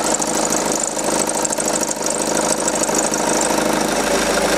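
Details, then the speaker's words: VW Passat B6 (3C5) 2.0 TDI diesel at idle, timing belt changed about nine months earlier: hissy, chattering belt noise over the idle; spraying the belt points to the ribbed belt. Cracked serpentine belt and worn tensioner bearing found. "da würde ich persönlich ja jetzt einfach mal auf den tippen oder auf dem Keilrippenriemen das heißt wir sprühen den jetzt mal ein und dann gucken wir mal ob das weg ist"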